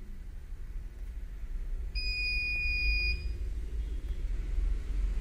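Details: CP Plus DVR alarm buzzer, viewed through the KVMS Pro app, gives a single shrill high beep of about one second over a low rumble. The cause of the alarm is not stated.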